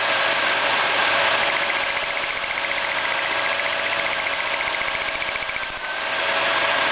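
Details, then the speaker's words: GM 3300 (3.3 L) V6 distributorless ignition at idle, coil wire boot lifted off the coil pack to test spark; steady fast crisp ticking about three or four a second over smooth idle means the coil fires; coil pack good, normal spark. "and you just click it down once it's firing and this coil pack is good"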